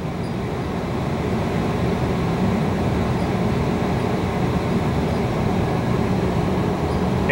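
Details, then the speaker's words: Fuel oil and heat pump hybrid furnace in stage 1 heat pump mode: compressor turns back on once inlet air drops below 90°F lockout, blowers ramp up with an even airy rush, no rattles; normal running. "once we hit 90 compressor will turn back on there you go and now you can hear the fans ramping up"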